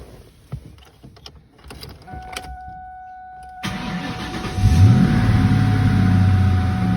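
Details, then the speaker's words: 2001 Mustang Cobra after replacing worn idler and tensioner pulleys and rerouting belt: a few clicks and brief tone, then engine catches into steady even idle with no belt squeal or chirp, tensioner not bouncing; normal belt drive at idle. "As you can see, the tensioner is not bouncing around."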